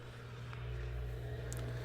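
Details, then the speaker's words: Maytag dishwasher, door strike inserted in the door switch about 10 seconds after power-up: steady low drain pump hum with no grinding, showing the control board is good and the control panel likely needs replacing. "If you hear that drain pump running, you know you have a good control board, and likely you need to replace this control panel."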